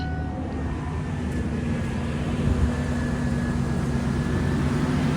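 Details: Ford F-150 just after fuel pump replacement, primed a couple times before cranking: low, even engine hum holding steady for several seconds with no misses or knocks; running smoothly.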